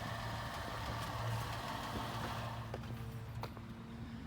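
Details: 2011 Ford Escape, 125,000 miles, after welding cracked forward muffler pipe and rotted hanger brackets: even, low idle without puffing, ticking or rasping from underneath; exhaust tight, leak fixed, normal.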